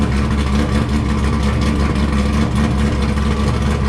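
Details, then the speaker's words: Wrecked C5 Corvette Z06 V8 with a decent-sized cam, tuned, no cats, right muffler cut off so louder: loud, lumpy deep idle with choppy cam lope, running evenly without misses, no dash lights; healthy, well-tuned normal idle. "so as you can hear this thing sounds like a beast and it seems very well tuned as well it idles well for uh for having a decent sized cam"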